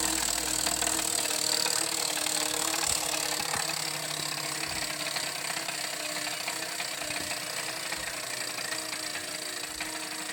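Steady high whir with fast, uneven clicking, roughly three per second, over the running machine; something is ticking, cause unclear.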